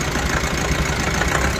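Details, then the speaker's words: Mahindra Bolero Pickup BS6 diesel that stalls after starting, just started: lumpy, shaking idle with uneven knocks and heavy engine vibration; codes P0088 (rail pressure high), P262B, P128, P1233, P1832. "आवाज़ सुनिए, देख मेरे कितना engine vibration हो रहा है, engine vibration हो रहा पूरा,"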